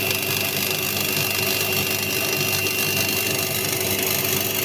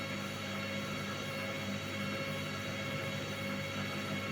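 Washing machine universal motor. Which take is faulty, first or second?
first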